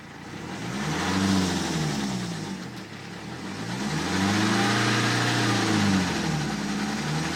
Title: Bruit Moteur 118d (porte ouverte)